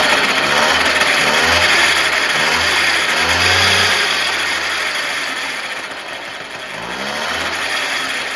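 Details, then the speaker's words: Moped two-stroke on the stand after its chain transmission was rebuilt: revving up and settling with an even beat and some new-parts whir; transmission noise fine, chain needs slight tensioning, crank axle slightly bent. "Par contre, au niveau bruit, ça va bien."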